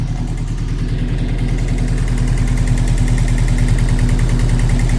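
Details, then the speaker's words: 1998 Subaru Forester S, first start after a timing repair (possible bent valve suspected): steady, even low idle with a smooth regular pulse and no knocks, ticks or misses. Sounds healthy, nothing leaking. "It sounds okay, honestly. It sounds healthy. Nothing's leaking. Totally dry underneath."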